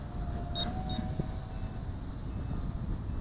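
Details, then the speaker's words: Kingkong Fly Egg 130 FPV racing quad (1105 7000KV motors, 4in1 BLHeli 10A ESCs, onboard buzzer) flying in strong wind: two short high beeps over wind roar, owner suspects the battery balance plug; not confirmed. "Hear that beeping? Again, that's, I'm pretty sure that's being caused by that, what do you call it, balance plug."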